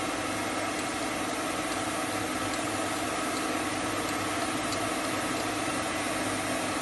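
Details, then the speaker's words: Hope Woodturning MK2 thread-cutting jig on a router at about 3000 rpm, 16 TPI male thread in beech: even, steady high-speed whir with no change in pitch or level as the thread forms; normal cutting. "je vais avancer lentement le filtage se dessine lentement j'exerce une petite pression pour le"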